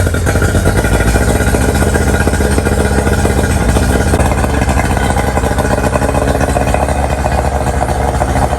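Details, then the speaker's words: Outboard on 1999 DuraCraft 1648 bass boat, sat at least 6 years, after cleaning out dirt dauber nests: settles into steady, even run, smooth consistent idle with no sputter or misfire — normal running. "all right we got that sorted out I do believe of course we need to test it on the water to be sure"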